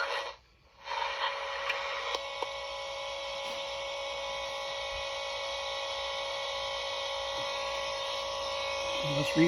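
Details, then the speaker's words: Swiss 1967 Fi-Cord 300-series pocket reel-to-reel recorder on AA batteries, playing back its recording: constant high buzz with steady tone, drive motor noise recorded onto the tape. "that again hear the motor hear that motor"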